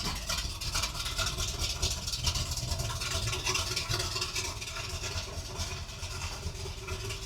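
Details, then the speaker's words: 1978 Ford Bronco revived after decades in a salvage yard, with a fixed transmission and new pipes, just after a cold start with the temperature gauge not yet moving. Even, loud idle through the open pipes with a steady low beat and no knocks or misses. "sounds good with them pipes on there. Still way too loud, but she sounds good."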